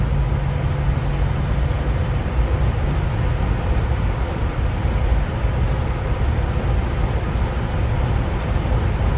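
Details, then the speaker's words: 1949 GMC 100 with 350 V8 of unknown mileage, just changed from 5w30 to 10w30 Rotella T1, rear ratio probably 3.73, cruising toward 55 mph at about 2,000–2,100 rpm: steady even drone, not laboring, no knocks or misses. "it actually sounds real good we're clicking along at about 2,000 rpm"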